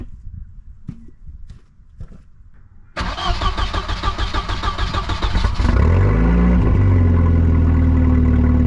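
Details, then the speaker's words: 1990 Volvo 740 that failed safety inspection, during muffler replacement: cranking, then the engine catches and idles with a loud, raw, deep blatty exhaust roar, running with the muffler removed. "I think I might do kind want kind curious what this thing sounds like we without a muff Weare on it shall I find out let's find out let's do some YouTube content"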